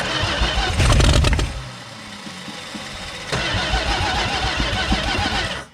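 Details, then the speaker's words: Dodge Diplomat 318 V8, abandoned for many years; a strained crank leads to a loud catch, then a lumpy, uneven idle before it revs briefly and dies away; long-dormant engine starting. "yeah it sounds like it's i'm actually amazed actually rolled over"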